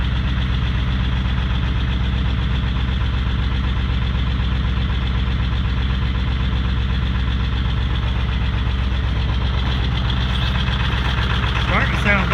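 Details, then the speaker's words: Ford 7.3L Powerstroke diesel, 20-year-old truck, cold start around -30 F after a week at -40 to -50, block heater about 3.5 hours: steady clatter about four beats a second under deep muffled exhaust drone, exhaust back pressure engaged, low idle until warm; exhaust leak noted. "and the truck is gonna idle real low in a while it's gonna idle up when it gets warm enough"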